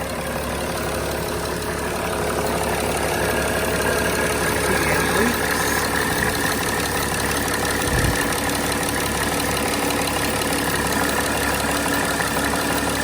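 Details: 2006 Mercedes E320 CDI OM648 diesel after replacing the glow plug control module and fuel rail pressure sensor, codes cleared, slow restart from air in the system: even idle with light regular clatter, no misses, knocks or hunting.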